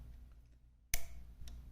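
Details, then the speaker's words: Mamiya M645 film camera: sharp clicks about half a second apart from the shutter solenoid, tripped because the switch arm sits on the contacts with no gap; also caused overnight battery drain and clicking after 2, 4 and 8 second exposures. "there's supposed to be a tiny itty little little bit of space in between them right here and if there's not if if this arm on top here is sitting on them you'll hear that clicking noise"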